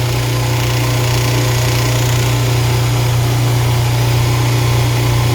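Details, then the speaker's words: Apartment garbage disposal running with water after being unseized with a wrench: steady low motor hum with a faint buzzing shake underneath. It vibrates on its mount, which is suspected to have loosened it. Vibration while running. "See that vibration? Vibrates a little bit. I think that's what loosened it in the first place."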